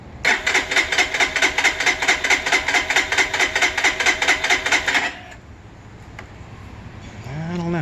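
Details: Freshly assembled Lifan KPR 200 motorcycle, shipped bone-dry and now fueled, choked: starter whirs in even pulses a bit over two per second for five seconds, then silence; cranks but never catches.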